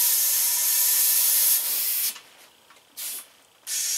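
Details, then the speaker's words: Sharp steady hiss cutting out and returning in bursts, no engine running: air escaping at the tire bead of a tire that held pressure almost a month, making it suited to a water-based tire sealant needing high air pressure. "here they hissing right out of the beat so this product will work perfect in this tire"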